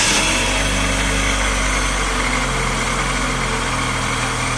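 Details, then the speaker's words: 2010 Fiat Uno with Fire 1.0 engine at idle, alternator belt removed: constant rough bearing rumble and hiss at the front of the engine from a worn water pump bearing; the alternator bearing was already replaced, and the alternator also still makes some noise. "não sei se no vídeo vai ser possível ouvir mas é audível um barulho de rolamento assim como um barulho como se fosse Correia esticada"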